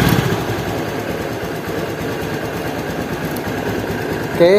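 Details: Honda Beat injection scooter CVT after fitting thicker material to stop the noise, steady even idle with no knocking or rattle from the belt case; transmission sounds healthy.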